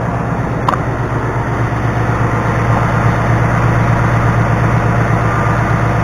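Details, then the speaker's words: 2019 Ford Mustang GT Performance Pack 1, about 190 miles, on factory oil before its first oil change, steady V8 idle with a fine busy top-end clatter and rattle; cause not yet known. "Tell you what, man, for having 190 miles on it, it's awfully rickety. Making a lot of rattling, especially right here."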